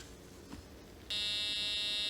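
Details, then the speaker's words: A 2-transistor oscillator built on a solderless breadboard drives a speaker: a steady buzzy tone of about 500 Hz starts abruptly and holds without wavering; the circuit works properly. "That is a tone of approximately 500 cycles per second, or 500 hertz."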